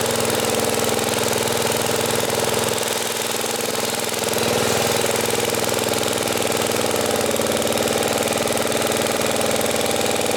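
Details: 1980 Homelite 5000 W generator with cast-iron Briggs engine, load-tested by running a 220 V three-horsepower air compressor: steady even beat dips briefly as load comes on, then recovers; healthy running under load.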